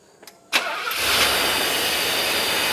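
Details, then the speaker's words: 1984 Mercedes 500 SEL pre-merger AMG, after sitting 27 years: cranks briefly, catches first try and settles into a smooth, even idle with no misses after the warm-up regulator was addressed; normal start and idle. "oh yeah this thing runs smooth look at that perfect sounds amazing"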